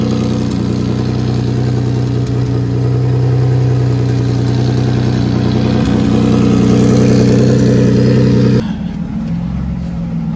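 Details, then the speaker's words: Nissan 350Z drift build, single-turbo VQ35DE (Garrett T04E, 10psi tune, hood-exit open dump, open wastegate, 600 injectors), ~55,000 miles on motor, after thermostat swap; loud turbo engine held at steady high revs with even drone, drops near idle; normal revving. "Swapped out the thermostat and Bolted it back on, and I'm about to throw it back and start the car for you guys so you can hear what that hood exit, open dump, open waste VQ35DE turbo sounds like."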